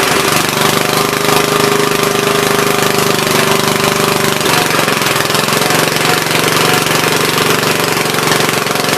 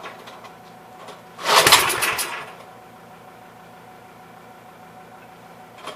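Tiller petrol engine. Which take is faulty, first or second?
second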